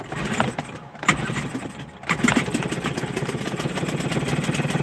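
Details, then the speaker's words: Hangkai 6 hp two-stroke outboard, just after carburetor rebuild, started on choke with half a tank: catches after a few pulls and settles into a quick, even burble with steady beats; running great. "And there you have it. It's running. Running great."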